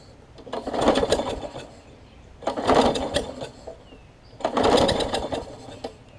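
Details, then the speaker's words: Craftsman push mower, Briggs engine, flywheel key, carb and pull rope replaced, valves lapped, starting fluid added, first test: three rope pulls each a brief sputtering spin that dies; tries but won't start, plug not checked yet. "so it's trying i ain't even looked at the plug yet"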